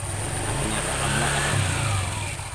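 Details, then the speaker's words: Short rev rising and falling smoothly, no klotok rattle from the CVT, on a Honda Vario 125 after repair of the rattle on throttle release; belt transmission now smooth, battery somewhat weak. "udah kita dengarkan suaranya hahaha Apakah halus atau masih kasar"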